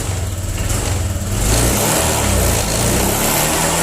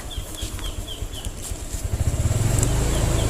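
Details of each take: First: 2020 Honda Vario 125 after a hesitation repair with an ignition-key reset procedure: it revs cleanly from idle and pulls smoothly with no stumble, then settles back; more responsive than the earlier stuttering. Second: 2020 Honda Vario 125, a new scooter, hesitating on initial throttle: the engine drones flat for a moment after the throttle twists, then the pulsing note builds and pulls; stumbling hesitation off the line.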